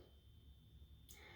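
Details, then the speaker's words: Four 40-watt incandescent appliance bulbs in a vanity rated for 60 W each, dimmed in a quiet room: a thin, steady high buzz from the bulbs singing on the dimmer. "Now, especially if we dim it, we can hear the problem. It's buzzing."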